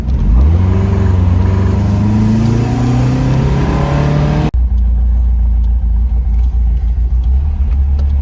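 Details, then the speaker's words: Porsche 914, newly built 2056 cc engine, dual throttle body MegaSquirt EFI, performance cam, enlarged valves, Tangerine Racing exhaust, 123Ignition, road test in basic tune: throaty note climbing smoothly to high rpm, settling to even cruise; strong, healthy. "the sound of the this setup is very good nice and throaty the car accelerates good with lots of torque up to high rpm"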